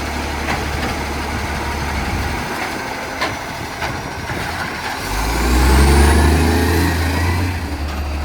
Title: City of Joondalup loud roaring accco SL061 exhaust leak